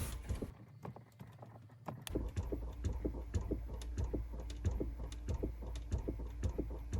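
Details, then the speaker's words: 2018 Chrysler Pacifica, engine and electrics off: irregular soft clicking and flapping, roughly ninety a minute, behind the glove box dash; faulty, sporadic recirculation door actuator motor, replacement recommended. "again ours is faulty and acting sporadically and up here there is a flap that's constantly flapping like that you can hear it"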